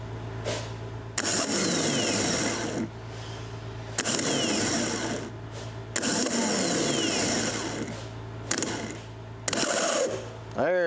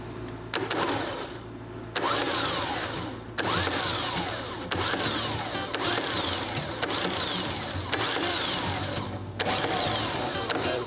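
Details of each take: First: John Deere ProGator starter motor on the bench, jumped from a jump box; short bursts spinning up with a rough, gravelly whir and scraping rattle; starter bearing noise, fixed with grease after teardown. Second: John Deere ProGator starter motor on the bench, jumped from a jump box, after teardown and greasing to cure a sick sound: short bursts of clean whirring spinning up and down smoothly, no grinding; healthy.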